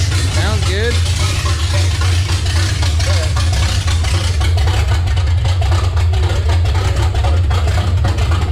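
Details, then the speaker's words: Revived 350 V8 in a C10, freshly installed and fired for the first time in 6 years: deep, steady rumble with an even beat and no ticks or knocks. It runs great, but oil is leaking at the valve cover, and a reseal may be tried. "I think sounds great runs awesome"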